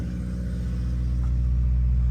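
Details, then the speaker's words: Built Honda D16Y8 in an EG Civic, first run after rebuild with 10W-40 and ACL bearings, no coolant in it: deep, even rumble at slightly high idle, no knock; it knocked before the rebuild; owner attributes high idle to no coolant. "Uh yeah, it just has no coolant. But guys, it sounds great as it was knocking before."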